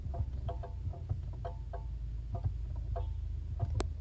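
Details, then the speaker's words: Chery Tiggo 7 Sport, about 40,000 km, engine idling with the brake pedal held: irregular sharp clicks and light taps, like tapping a pan with a spoon. Owner says it isn't normal and the source is unknown; a dealer visit is planned. "Ele dá como se fosse uns estalos e como se tivesse alguma coisa batendo, como se fosse de uma panela e você tivesse batendo com a com a colher."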